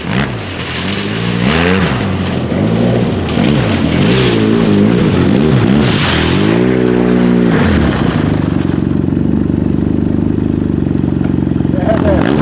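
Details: 2010 Arctic Cat Z1 Turbo snowmobile after swapping the heavy, overheating OEM muffler for an aftermarket exhaust; quick revs rising and falling cleanly, then a steady even idle, no knocks or rattles; normal engine running.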